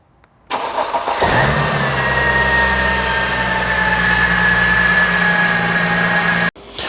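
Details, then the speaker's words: 2007 Mercedes E280 that won't crank when hot, car cooling down: starter spun by applying voltage to relay pin 3, strong even whirr about five seconds, no stalling or grinding; starter motor ruled out, normal cranking. "so the starter motor is not our issue"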